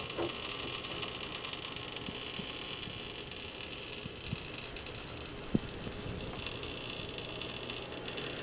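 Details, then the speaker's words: Breaker with burned wire, recorded with shotgun mic: faint sizzling hiss with scattered crackling ticks under load; arcing, electrician leans toward bad breaker but suspects loose terminal connection, screw tightness to be checked. "so you can definitely tell something is happening i'm kind of leaning towards bad breaker but the most common thing that causes these wires to get burned like this right on the breaker like that is for it to be a loose connection"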